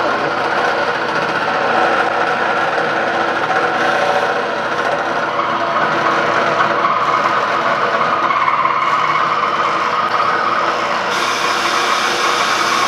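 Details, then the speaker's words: Cincinnati D1 Toolmaster mill under restoration, spindle speed varied upward on the variable-speed pulley drive: steady whir with thin squeal creeping in at higher speed and belt tension; suspected loose bushing, not confirmed. "when you put it at the higher speed and gets more attention on it starts squeaking through that that's a bushing or something it's loose"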